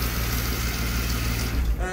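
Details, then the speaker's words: BMW E36 six-cylinder, cold engine, after fixing a spark issue that left it running on five cylinders, with new spark plugs: steady, even low rumble with throttle, no misfire stumble; normal running on all cylinders. "and if i give it gas it sounds kind of healthy yes the engine is cold"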